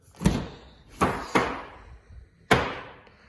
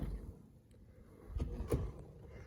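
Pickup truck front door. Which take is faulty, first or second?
first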